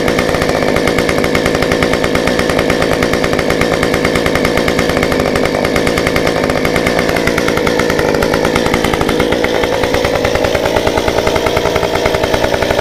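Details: Stihl 193T climbing saw with muffler mod, about 8–9° timing advance, limiters removed, 93 non-ethanol fuel, restarted warm after 5 minutes off: crisp steady high-speed buzz dipping slightly and recovering, no stumbling or surging.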